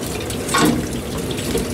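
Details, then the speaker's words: Heat pump (PAC) during replacement of two Sporlan OZE expansion valves and a 160 kg scroll compressor: steady hiss and trickle of water in a small space, the unit's water supply pipe having burst from frost. "sachant que là on longend il y a de l'eau qui coule j'ai l'arrivée d'eau de la pâ qui vient de péter avec le gel"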